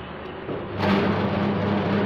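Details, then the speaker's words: In-dynamo chicken feather plucker machine with pulley: motor spins up within a second to a steady, even whir with no knocking or scraping, running quiet and smooth. "tidak Berisik Suaranya sangat [Musik] [Musik] halus mantap full stanglist"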